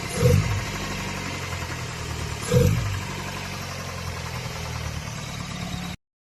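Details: Old Toyota Corolla big body, engine knocking when temperature is high, engine overhauling: steady low idle rumble with two throttle blips and a dull knock in the idle; cause not pinned down.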